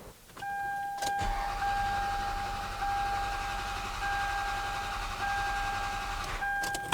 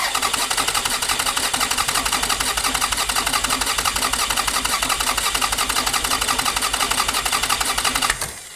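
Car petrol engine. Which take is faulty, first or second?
second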